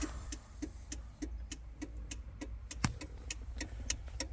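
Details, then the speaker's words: Rusty Suzuki/Geo Tracker 4WD 5-speed: a sharp, relay-like tick about three times per second inside the car. Owner suspects a car alarm is causing the ticking and the engine shutting off; not confirmed. "I don't know what that is. We got to find that. I think that's our issue."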